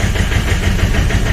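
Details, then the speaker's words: 2013 Chevrolet Colorado Z71 2.5 diesel, 5-speed, started after pump and injector relearning for a no-start: loud rough low clatter with rattling edge; abnormal noise, cause not yet clear. "โอเคครับมีเสียงดังแต่ตอนนี้ก่อนครับ"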